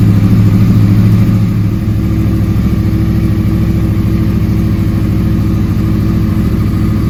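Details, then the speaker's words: 2009-2014 Yamaha R1 crossplane engine after starter replacement, cold start after sitting about 2 days at about +5 °C: catches quickly into a steady, even offbeat idle, no grinding, normal cold start idle. "it's been sitting for probably 2 days it's about plus 5 in the shop here so it's pretty cold nice cold start"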